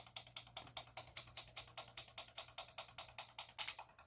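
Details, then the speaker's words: Junkyard ABS solenoid pack with a single solenoid powered by a homemade oscillator/flip-flop switch built for a 1996 Land Rover Discovery: crisp even clicking about two and a half per second; solenoid opening and closing normally. "you can hear that solenoid working that's what you want to hear"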